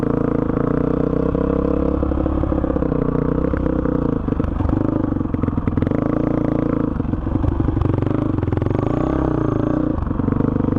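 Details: 2005 Honda CRF450X, sat 10 years, after needle richened one notch (two from bottom), main jet 190, pilot 45: pulls cleanly through rising and falling revs, no bog or stumble; normal running.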